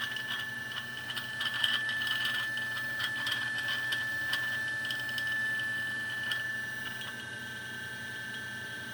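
Steady motor whine with an uneven light rattle ticking over it, roughly three or four a second; something loose is rattling in the grinder.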